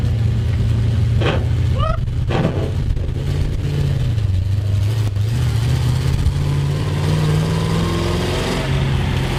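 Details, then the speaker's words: 1973 Plymouth Road Runner big block on test drive: loud, raspy V8 drone under load with a coarse blatting edge as revs rise and fall; cheap headers' gaskets apparently blown out after a short drive, new headers and gaskets planned. "kind of already want to order new proper headers and new gaskets that's that's great because it already sounds like a tractor because they already blown out or something"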